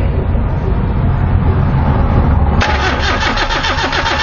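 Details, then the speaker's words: 1993 Nissan Tsuru (red-top engine) that stalls and won't restart; starter churns steadily without firing; fuel pump activates but no spark and no injector pulse; crank, no start. "señores miren ya se activó nombre gasolina pero no hay chispa ni inyectores"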